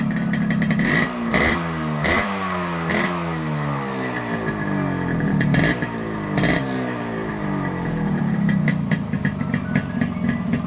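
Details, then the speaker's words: Yamaha RX100 two-stroke fitted with an Indonesian RX King CDI unit (14,000 rpm limit versus 7,000 for the Indian one). Crisp blips climb and fall cleanly with the throttle, the sound beat changing with each rev, with no misfire or rattle; healthy. "நீங்க sound beat ஒவ்வொரு type rice பண்றதும் sound beat மாறுறதை நீங்க பார்க்கலாம்"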